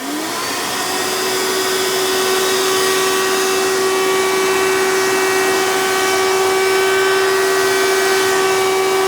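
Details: 1992 Hoover Elite II Total System Performance 650 U4689-910 upright vacuum: loud, steady high-pitched motor whine holding one pitch at speed; owner suspects dry motor bearings needing oil, says it was rarely used with tools, yet cleans okay.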